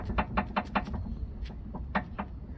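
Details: Citroën C3 suspension, stabilizer link rocked by hand: quick hollow knocks about five a second from a loose, worn stabilizer link; control arms already replaced, noise remained.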